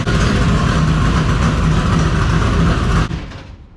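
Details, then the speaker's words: V8 just fitted with new Multi-Fire plug wires bursts into a loud, lumpy idle that holds steady for three seconds before cutting off; normal start and idle. "A little spicy there. Sounds good."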